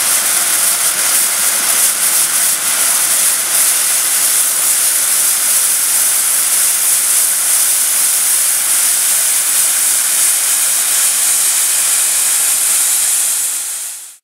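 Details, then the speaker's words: Overtype steam engine with top valve gear, boiler steamed up for first time in 30 years: heavy steady steam hiss with faint regular chuff, no knocks or clanks; smooth normal running on first startup. "That is a good first startup. Very good."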